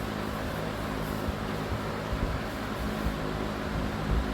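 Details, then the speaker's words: Vintage Emerson box fan, cleaned with motor oiled, on high speed: steady low hum with a soft, even whoosh of air and no rattles or ticking, with a pleasing tone. Normal running. "I mean, I like all of the sounds of all the fans, but this just has like the perfect tone to it."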